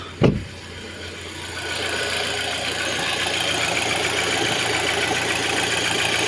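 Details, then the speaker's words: 2006 Audi A6 2.0 FSI turbo: about 20 seconds after restart the low oil pressure light comes on again and a rough, clattery rattle builds over the idle; oil starvation suspected, possibly a clogged oil pickup. "І ось до він поробив буквально якихось там ще 20 секунд і вже знов горить горить масльонка. І тут чути, що він робить якось нехорошо."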